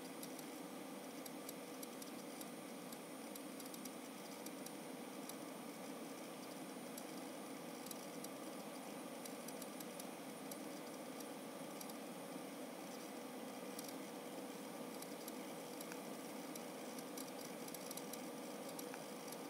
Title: ST2000LX001 Firecuda 2TB stupid click noises tho not Click Of Death